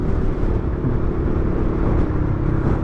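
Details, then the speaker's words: Yamaha Xmax riding along with the exhaust baffle (DB killer) removed and opened up: a loud, rough, raspy drone that sounds like a leaking exhaust. "Memang sih berisiknya kayak knalpot bocor suaranya ya. Tapi adem."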